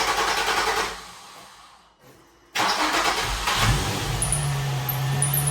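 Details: 2004 Nissan 350Z after fitting new rear stays and refitting the motor: cranks briefly, catches cleanly and settles into a steady, even idle with no misfire or knock; normal start and idle.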